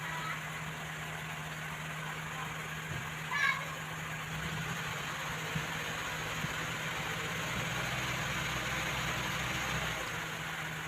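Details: Mazda carburettor engine after refitting carburettor jets in the correct primary/secondary positions (reversed jets made it die when revved): steady, fairly even idle, low smooth hum, no misses or knocking; sounds settled.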